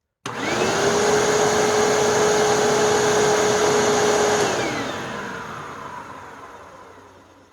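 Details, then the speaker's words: Hoover Tempo WidePath Plus vacuum, about eight years old, after belt change: motor and brushroll spin up to a steady clean whine, hold, then wind down smoothly; healthy running. "okay this is gonna get loud really loud oh listen how nice that runs even after eight years"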